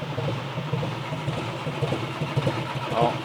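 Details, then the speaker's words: 2017 VW Transporter T5 in for a no-start, fault P0341: uneven cranking with dull thuds about twice a second and no firing; the worn timing belt skipped 2-3 teeth, misaligning the camshaft. "And that TUD noise you're hearing, that's not a nice noise to hear as well. You can hear it slowly take over. And that TUD would indicate there's a bit of a timing issue."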